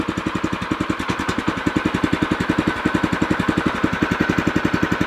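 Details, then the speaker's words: New O'Mac MC700 tiller at first start, throttle at minimum, left to warm up: steady, even single-cylinder putter with no breaks; idle is quiet and smooth, healthy. "Ăsta este relantiul merge frumos silențios frumos sper că auziți"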